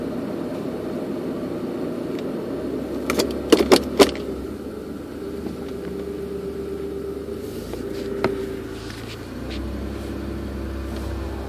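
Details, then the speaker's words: Toyota Tacoma, phone in the console, driving at parking-lot speed: low road rumble with bursts of sharp, gunshot-like pops, audible up to 45–50 mph. Steering rack bushings replaced without effect, ball joint recall done; the squeak is the seat. "it's that pop in it's not the squeak squeak is my seat let that pop pop pop pop that right there sounds like a little you know what it sounds like it sounds like you're at the range and when you hear the rounds going off you know a little bit in a distance"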